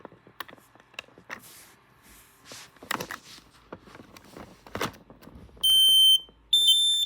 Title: Smoke and carbon monoxide alarms